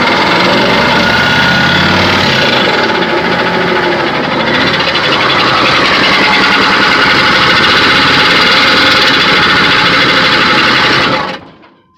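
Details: 6.5 diesel truck, about 300k, noise just started: steady high squeal over a regular knock, roughly three or four a second, at idle; cause unknown.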